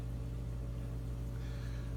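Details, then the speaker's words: External aquarium pump on 170 gallon tank, running without sound-deadening box: constant low hum, even unchanging drone; normal running, just loud. "That is the pump making that noise. Don't know if it's coming over the camera or not, but this worried me with the big tank, which is over there."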